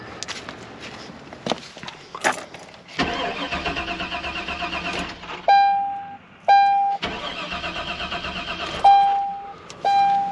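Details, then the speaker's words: Chevy at 0° cold that started earlier then wouldn't refire, gas smell present: two long cranking bursts with chimes between, engine never fires; crank no start. "okay now I got to look underneath cuz there ain't nothing there ain't nothing happening"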